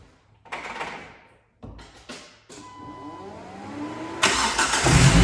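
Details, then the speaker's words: 2005 Jeep Wrangler with a no-crank no-start, unused close to two years, missed by three shops including a dealer; after fixing a bad ground it cranks in several bursts, catches and settles into an even, rising idle, a clean start. "starts there you have it guys after from what I understand it's been over a year close to two years since this vehicle ran"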